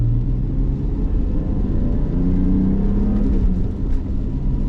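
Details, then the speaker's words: Metric Mechanic 3.7L stroker M30 BMW E34 on a standalone ECU, first data-log drive: steady, even engine note pulling cleanly with no stumble or misfire; revs out and enriches properly, smooth running. "Oh my god. Yeah, he smoothed this thing up. Fantastic. I can actually rev it out and it's enriching as it should."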